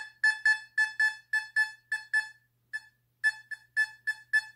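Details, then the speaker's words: Fisher F44 metal detector air test on a quarter, detected beyond six inches: crisp high beeps almost twice a second with short gaps; solid normal target response. "i mean the people that said that this couldn't pick up a quarter it's six inches dep did this machine a big disservice look at this"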